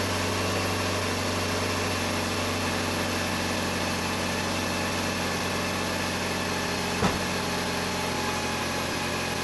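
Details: Jeep Patriot just after replacing the alternator for a failing pulley bearing: smooth, even idle with steady hum and no chirp or squeak from the engine front; healthy idle after repair.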